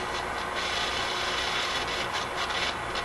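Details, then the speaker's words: RCA Victor A24 vacuum tube radio during shortwave alignment: steady hiss with irregular scratchy crackle bursts coming and going. The noise briefly cleared, then returned, and it does not seem to interfere with the radio's operation. "Doesn't seem to interfere with the operation of the radio. It just seems to add this noise and stuff to it."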